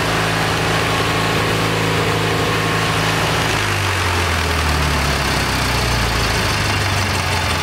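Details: Kohler Magnum 20 single-cylinder engine, about 40 years old, at operating temperature after carburetor rebuild; pitch shifts and settles partway as mixture is set, then runs steadily. That's about as good as it will tune, and it probably needs a valve job.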